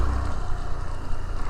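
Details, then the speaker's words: GY6 scooter road-tested after a manual ISC adjustment/reset and a new air filter; it used to die at idle over humps and start hard. A low, even engine drone under road noise, with no stumble; the engine is quieter and throttle response is good. "Tahimik na rin yung makina niya. Okay naman yung throttle response niya."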